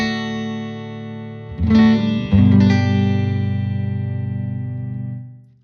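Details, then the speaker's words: 1974 Fender Super Six Reverb (100 W ultra-linear, six 10-inch speakers) after restoration, Telecaster neck pickup into the normal input with everything at 5: clean chords ring full and even, no hum, crackle or distortion; normal amp tone. "all right that's the standard or normal input everything at uh five halfway up"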